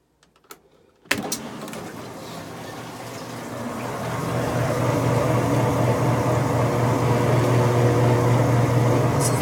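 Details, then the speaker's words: Maytag top-load washer on spin cycle after replacing a worn drain pump, whose squealing during draining was the complaint: a click, then the motor winds up to a smooth, steady low hum with no squeal; normal spin. "so you can see that right now when I ran it on a spin cycle it doesn't make that noise anymore"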